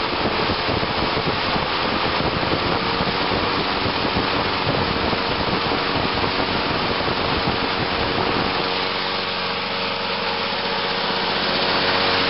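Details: 1986 Lawn-Boy 8461 Commercial two-stroke mower on 32:1 mix, cold start at about 61°F after sitting about a week, started in two pulls: an even, busy buzz that holds steady with no misses or knocks. It runs well.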